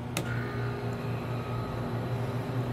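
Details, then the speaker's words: Tenney Lunaire TUJR temperature chamber, cascade refrigeration system, cooling started toward -70 to -75: a click, then a steady even low hum without rattle or labouring as the first compressor starts normally, before the second kicks on. "This is a cascade refrigeration system, so you'll hear one compressor kick on and then the other."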